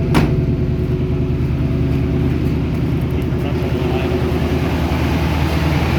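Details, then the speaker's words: 1971 Chevy Cheyenne C10 pickup, 350 small-block V8, first start in February after sitting since November, now warmed up: deep, steady burble with an even lope, no misses or knocks, running on all cylinders; normal warm idle. "all right she's warmed up so she's firing on all of them now"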